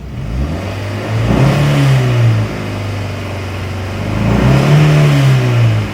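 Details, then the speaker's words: Honda Fit, after several minutes idling in driveway, codes erased: uneven, stumbling idle that surges and sags, cylinders 3 and 4 misfiring; old coil packs overheat with hood closed, fine with hood up. "I've been running it just in the driveway for a few minutes, and now, listen to it. A real problem again. Got a misfire there."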